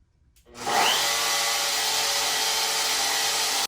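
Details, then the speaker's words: CNC router motor after replacing worn-down brushes that had stopped it working, plugged back in and tested. Spins up quickly to steady high whine, even pitch without sputtering, stops cleanly; normal running. "sounds like it's working"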